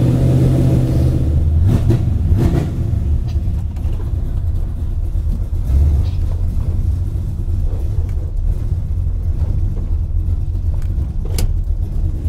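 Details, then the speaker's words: 1978 Chevy C10 with a 383 crate V8, started cold: a deep, slightly lumpy rumble. They think it runs too well cold because the carburettor is jetted far too rich. "i think it runs way too good cold i think yeah it's too rich i think the thing is jetted way too real yeah yeah it's way too rich"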